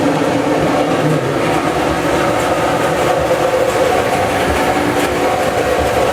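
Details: Maytag Dependable Care Plus dryer after the belt was reseated in its proper pulley groove, where it had been riding high and scraping: even, steady tumbling rumble with no squeal, chirp or thumping; normal running.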